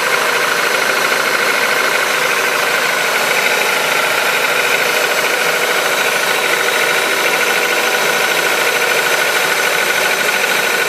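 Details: Honda K20A engine on a cold start: a fast, slightly uneven knocking of roughly three per second over a bright, busy engine note. The knock fades as the engine warms; cause unknown.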